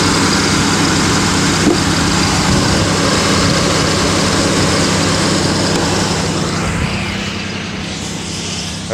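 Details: Pontiac Aztek with an overheating complaint, idling with the cooling fans on high speed: steady rushing airflow and a low even hum, no rattle or scrape, so the fans are normal; overheating cause unknown, and coolant is leaking at the rear.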